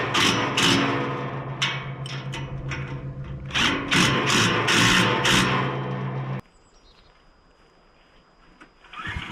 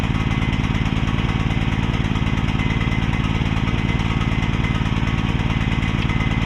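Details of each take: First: Mini excavator with pull start, repaired after being bought broken and then sitting about 3 weeks, driven back near the shed; small engine runs at a steady, even beat with some machine clatter, then shuts off; seems to be running pretty good. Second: Repaired mini excavator's small pull-start engine: loud, steady, slightly heavy chugging at fixed speed with the choke left on; running rich.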